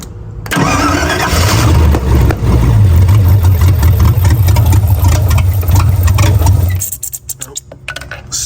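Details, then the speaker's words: 1978 MGB V8 with an untuned, wrong-size carburetor, choke held partly down, dwell just set, oil leaking from the oil filter: cranks, catches and runs roughly with stumbles and a sharp pop, still backfiring; owner expects carburetor cause. "still backfiring so we still got some work to do"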